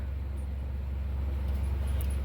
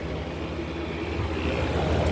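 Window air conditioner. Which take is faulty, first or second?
first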